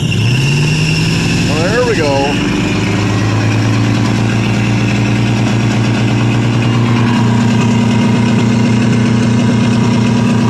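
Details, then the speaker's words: 1985 Chevrolet Suburban old V8 plow rig, cold start in snow after sitting a month and a half on year-old gas with a swapped-in battery: loud raw uneven idle with no exhaust system, smoking a lot, rough running as if not all cylinders firing. "she's loud ain't no exhaust on her other than just put a toaw r underneath the vehicle man you got smoked a lot"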